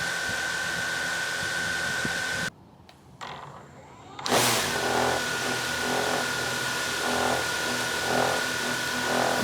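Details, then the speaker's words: DJI Mavic Air 2 idling on a table with original stock DJI props instead of Master Airscrew props: even high motor whine, no rattle, drone holds solid without shaking or moving; normal idle, no vibration. "oh solid not moving at all solid okay one more time with the mavic air 2. stock props and again holding solid in place"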